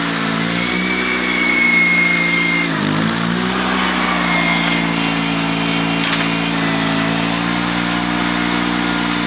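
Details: Honda 3813 liquid-cooled lawn tractor, transaxle clutch operated without its damper: a steady, even drone sags briefly as the clutch bites, then settles back smooth. Engine healthy.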